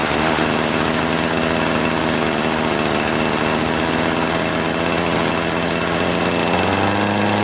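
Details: Troy-Bilt TB70SS 33cc two-stroke string trimmer, unused about three years, on fresh gas-oil mix, switched from choke to run: a buzzy high rev holds, then the pitch shifts instead of climbing. It bogs at high throttle; hi/lo carburettor mixture needs adjusting.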